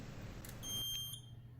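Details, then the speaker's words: Edwards EST3 CAB 21 fire alarm panel: high, steady electronic beep over a low room hum, because the panel isn't clear and trouble signals are active. "ഈ beep sound കേൾക്കുന്നത് ഈ panel clear അല്ലാത്തത് കൊണ്ടാണ്. അതിൽ trouble signals active ആണ്."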